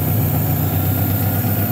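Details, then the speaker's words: Honda H22A after fast idle valve fix: smooth, steady low hum with no hunting or surging; idle very steady, engine running quieter and better than before. "the idol is very steady the engine is actually running a lot better lot quieter and better than before"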